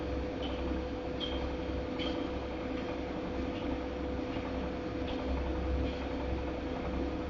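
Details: Godrej fully automatic washing machine running: low rumble and steady hum with a light scraping click about every 0.8 seconds as the drum turns; something rubbing, abnormal running noise.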